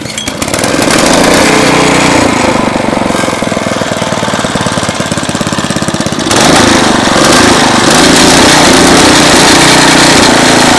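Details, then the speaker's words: 2001 Briggs & Stratton 5 hp OHV chain-drive rototiller after repair and cleaning; single cylinder catches and settles into steady even popping about four beats a second, then revs cleanly; normal running. "pop she's running great everything works on her everything's clean"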